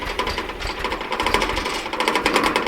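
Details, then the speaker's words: 1982 Datsun 720 4x4, 41,000 miles, long-stored: fast, loud, even mechanical ticking from the electric fuel pump; owner believes it got louder because the tank is running low on gas. "I believe we're running low on gas. The fuel pump got louder. So, that's not too bad."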